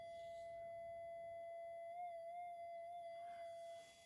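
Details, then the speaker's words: Minelab GPX 5000 metal detector in Double D mode, mylar connections touched: clear steady tone near 650 Hz where the AD797 op amp output should be silent, from a cracked mylar flex strip; op amp output noise. "now if I touch on these connections it's still reacting on that opamp that should not be doing"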